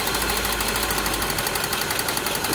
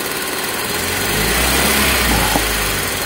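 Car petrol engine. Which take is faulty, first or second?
first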